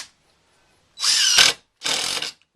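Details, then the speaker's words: DeWalt 20V DCF885 impact driver, battery on one bar, driving screws through pine after oak: two bursts of high rattling hammering, the second smoother and shorter, with less skipping in the pine; impact mechanism engaging normally under load. "You can hear it again, skipping over a little bit. And yeah, I'll drive one of these through the pine as well, just so you can hear it one more time. It should be a lot less skipping with the pine."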